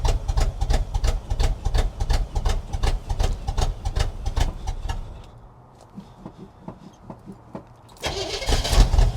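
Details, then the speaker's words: 1976 Chevrolet K20 3/4-ton 4x4 V8 farm/plow truck, sat for years, fired right off cold: lumpy, uneven loping idle that stumbles, whole truck and engine violently shaking; rough misfire blamed on faulty carburetor, owner also suspects plugs and a vacuum leak. "It's running the same as it was last night. The whole truck is shaking. And the engine is violently shaking"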